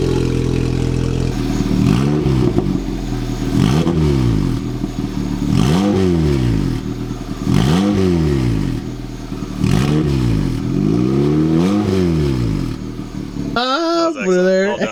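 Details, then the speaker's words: Toyota MR2 Spyder on first start after installing a turbo kit: repeated throttle blips rise and fall smoothly with a deep, raspy exhaust roar; it runs cleanly but is much louder than expected and needs quieting. "good stuff that sounded like a lot throdier than I thought it would yeah that's not what I expected yeah that's it's too loud"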